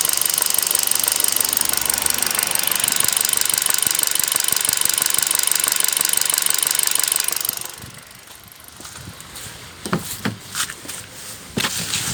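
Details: Kia Rio 2012 1.4 engine at hot idle: crisp, very regular tapping about three per second, then shutdown. It is not heard under load; a connecting rod is suspected. Engine knocking when hot.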